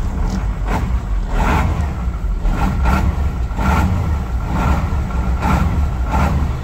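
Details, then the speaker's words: 1986 Ford F8000, Cat 3208 10.4 L turbo V8 diesel, sat about 8 years, just started, coolant unchecked: clean rise and fall on repeated throttle blips, no miss; earlier lopey cam-like idle smoothed out, running normally. "That don't sound too bad right there. Well, it's done smoothed out now."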